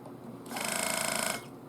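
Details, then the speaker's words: Known-good spare air suspension compressor for a 2008 Cadillac Escalade, off the vehicle, bench-powered by a 12 V 6 A battery charger for a second: steady fast-pulsing electric buzz with a bright whine, making pressure; normal compressor operation. "keep in mind this is a good compressor so what you hear ought to be what your compressor does"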